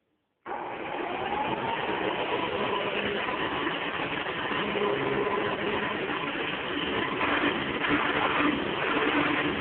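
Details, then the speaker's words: Hoover Convertible vacuum after brush roll bearings fixed and headlight cover secured: steady, even motor whir at one pitch with no rattle or rhythmic knocking; runs smoothly after repair. "yeah it's really concern sounds like a view it runs like a dream"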